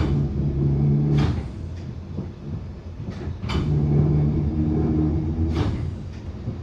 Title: Bakerloo line 1972 stock Continuous popping sound after departing Stonebridge Park September 2022